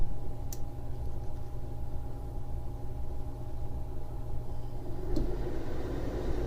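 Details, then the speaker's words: Chinese diesel heater powered via adjustable supply set around 13.5 volts, starting up and turned from level 3 to 6: steady low hum and even fan rush, no knocks or rattles; slow to heat but running normally. "It shows everything's running, and it takes a while to power up and get heat going, but it's running it good."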